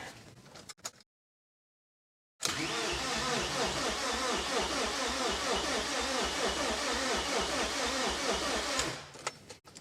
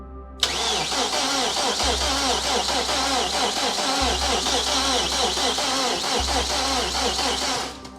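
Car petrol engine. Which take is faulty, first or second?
second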